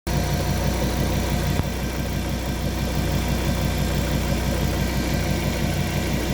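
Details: Fiat Coupé 20v Turbo at idle: repeating tick-like pulse about three times a second over the engine hum; strange noise, cause unclear.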